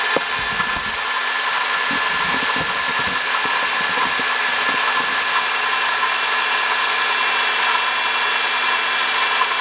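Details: 2005 Honda Odyssey, 268,167 km: steady high-pitched whirring rush over the idling engine, no knock rhythm; worn water pump bearing, fixed by replacing water pump, thermostat, thermo switch and coolant.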